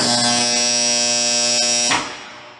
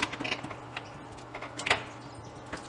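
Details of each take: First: Contactor coil energized with dirt placed between the fixed and moving cores: loud, harsh electric buzz rich in high tones, cutting off abruptly, as the armature fails to seat; noise disappears once the dirt is removed. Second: Contactor after removing dirt from its core: a few crisp clicks as it pulls in, fixed and moving core striking, no steady hum or buzz while held on; normal operation.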